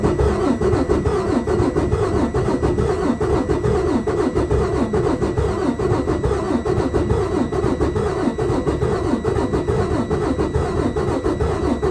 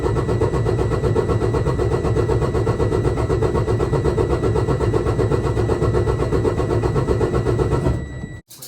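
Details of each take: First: Detroit Diesel DD15 cranking during a compression test: uneven compression strokes at about seventy beats a minute. Worn or tight valves are suspected; the test read cylinder 1 at zero, 2 at 89, 3 at 100 and 4 at 82. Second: Detroit DD15 diesel after valve adjustment, intake valves had been very tight: brisk, even cranking at about four beats a second with a steady whine; cranking speed noticeably higher than before, compression even.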